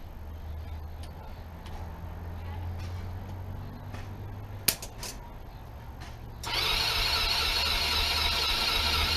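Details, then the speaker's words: PGO T-Rex 150 scooter (about 2012), unused for years, on first start after its fully blocked carburettor jets were cleaned: even single-cylinder thumps, then a clean pick-up to a smooth, higher buzz once the idle was adjusted; still needs a tune-up. "all right let's start it up pretty good um just needed to mess with the idle there to get it to settle down um it'll need a little bit of a tune-up i think"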